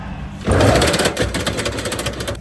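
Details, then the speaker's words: Electric tricycle with a recently replaced motor, wheel jacked up: a run of sharp, fairly even clicks over the drive whir, more frequent at higher speed. Motor runs quietly unloaded; half-shafts and bearings look normal. Intermittent clicking noise. "速度越快，声音响得越频繁。"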